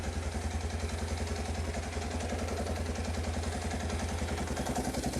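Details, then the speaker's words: 1986 Kawasaki KLT185 three-wheeler, long-sitting, just revived: single cylinder thumping steadily at about three and a half beats a second, smooth and unhurried, fuel line barely drawing fuel; healthy idle. "let her sit here and idle for a little bit that's just fantastic you even see my fuel line barely even sucking it down"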